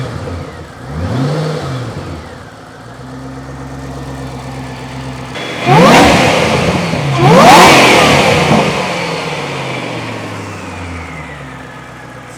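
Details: Supercharged Ford GT: sharp free revs climb and fall cleanly with a thin supercharger whine rising alongside, no knocks or misses. No engine lights, healthy engine.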